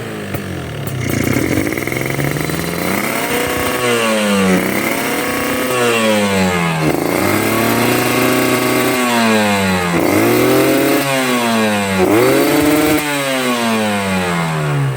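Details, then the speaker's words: Two-stroke motorcycle demonstrating a wet (rich) carburetor setting: the throttle blips and revs sound heavy and burbling, slow to climb and falling back lazily. This over-rich mixture also wastes fuel. "itu basah ya. Bisa teman-teman dengar. Nih, berat. Berebet ya. Ini bisa digas, cuman berebet ya,"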